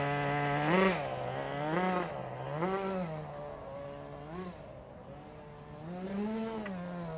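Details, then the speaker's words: Restored 1988 Kyosho Ford RS-200 with OS Max 10 FP-B nitro engine, warmed up, tuned so engine doesn't cut out on full braking: buzz swells and drops cleanly with throttle, tone changes as exhaust flap opens; normal running under load. "and again if you listen really carefully you can hear the change in engine tone when the little exhaust flap opens"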